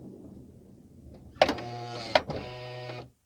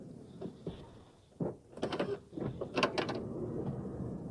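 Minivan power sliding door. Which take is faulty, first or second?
second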